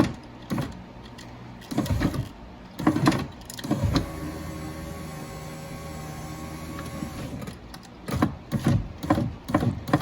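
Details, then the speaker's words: Dodge Grand Caravan passenger front power window after repair: the motor hums evenly as the glass travels, quiet, with none of the earlier crunching or motor banging. "it sounds like it's okay operations nice and quiet and the motor's not banging around"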